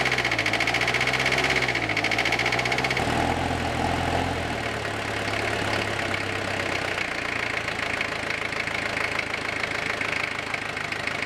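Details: 1983 Ford Ranger with the factory 2.2L Perkins 4.135 diesel, reported to have fuel in the coolant, just started on a fresh battery: an uneven clattering idle with knocks about four per second that wander and never settle. The cause is unconfirmed.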